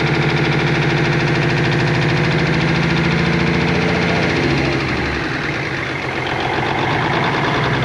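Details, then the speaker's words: 1988 Kenworth K100E with Cummins 400 Big Cam IV, first start after sitting untouched 9 years: a heavy diesel idle with a choppy, uneven pulse that eases partway through. Engine is missing at idle. "my heart is beating really fast yeah oh it's definitely missing though"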